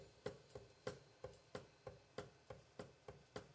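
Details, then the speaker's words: Creality LD-002H/LD-002R resin printer with noticeable play at the Z lead screw. Sharp light clicks about three times a second as the build plate rises: ticking during Z-axis movement. Owner suspects the lead screw nut, cause unconfirmed. "not sure where that's coming from but it looks like it's coming from that screw"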